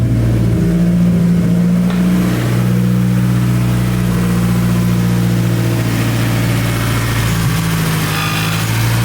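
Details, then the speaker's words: Big-turbo Hyundai Genesis Coupe back running after sitting in the garage: deep steady idle with even low rumble and no misses, knocks or rattles; healthy normal idle. "Yep. She sounded real healthy, sounded real good."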